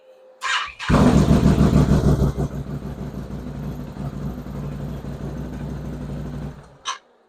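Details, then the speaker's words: Race machine that previously overheated and puked coolant, after installing a KMK Off-Road harness that runs the fan full time, refilling coolant and tightening clamps: it fires right up, revs, then runs steady. The fan is heard running and stops at the kill switch. "Fires right up, and as soon as I hit the kill switch, I can hear that fan go off as well."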